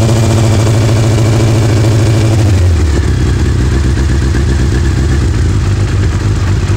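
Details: 2000 Suzuki Hayabusa after installing new exhaust manifold gaskets: deep-toned engine drops from a quick blip into a lumpy idle of about four beats a second, with nothing tapping or rattling over it; normal idle.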